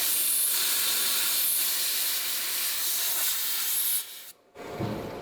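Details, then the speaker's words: Pikes Peak race car, cooling system pressurised with a pump: continuous hissing of escaping air for about four seconds, then it cuts off; leak found, air leak under pressure test. "I got a leak on my pull up blocked"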